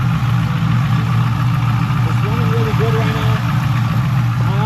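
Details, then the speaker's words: LS V8-swapped Infiniti G35; it had been smoking, then started immediately after a battery reset, with a deep, even idle and no misses or knocking: normal idle. "I cranked the car up and it started immediately. I guess I just had to reset the battery. Right now it runs really good."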